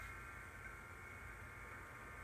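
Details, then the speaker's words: HP 35900B chromatography interface unit, powered on after no-power repair: quiet, even airflow hiss from the small cooling fan spinning smoothly, power light on, though a fault code shows. "so I hear the fan obviously we have the power light illuminated"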